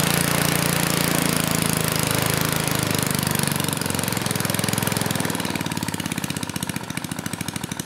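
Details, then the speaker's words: 1980s Troy-Bilt Junior tiller with Tecumseh HS35 engine, first start: small single-cylinder started first pull, fires fast and evenly, revs then eases down smoothly, no knocks or misses; runs healthy. "okay well maybe this will be an easy one you know it started first pull the engine sounded good and I could kind of rev it up"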